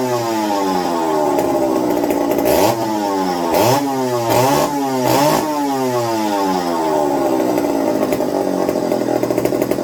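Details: McCulloch 55 gear-drive chainsaw, first run on a new homemade tank wick, fuel starvation issues: sharp rev blips settling unevenly; fuel dribbled from carb front only after turning low-speed needle, owner suspects low-speed side fault; carburetor flooding at low speed.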